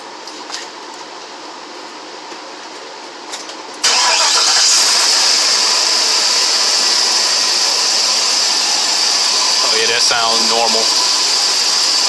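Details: Chevy truck with a 6.0 LS engine, started after the broken exhaust manifold studs were removed and the flange bolts replaced: it catches at once and settles into a steady, even idle with no ticking from the exhaust; the earlier exhaust leak noise is gone.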